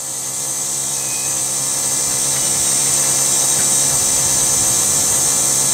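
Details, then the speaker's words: Rover 75 CDT diesel after fuel filter and lift pump service, ignition on, engine off: high steady electric whirr building slightly and holding; self-priming lift pump priming normally, no fuel leaking. "I'm not gonna start the car so the system is supposed to be self-priming that's whizzing making some wiry noises can you hear that"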